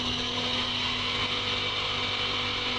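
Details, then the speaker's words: Boat chiller system at 0.9 bar loop pressure: compressor comes on with a steady, even hum, a couple of constant tones and a little knocking; a normal, healthy compressor sound. "that's a normal sound of the compressor coming on that little bit of knocking and okay so you hear that that's what you want to hear"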